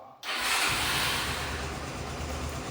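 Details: Honda CBX 250 Twister after repairing the engine noise: fires after a short crank and settles into steady, even idle with no knocking or ticking; noise gone, normal idle.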